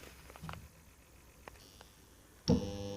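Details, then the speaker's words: Magnetic contactor switched on before repair: silence, then a loud coarse buzz the instant it pulls in. "यह आप देख सकते हैं बहुत ज्यादा साउंड कर रहे हैं और इसको मैं अभी रिपेयर करने वाला हूं"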